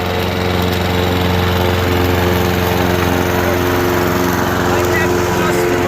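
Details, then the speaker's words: Honda HR214 self-propelled push mower from a garage sale, before maintenance and with very dark old oil, idling after about 2 minutes once the smoke stopped; even, steady single-cylinder idle with no hunting, stumbling or knocks, runs really well. "After about 2 minutes of running, as you can see, the smoke is stopped, and listen to it idle. It actually runs really well, and you know, $10, what can go wrong?"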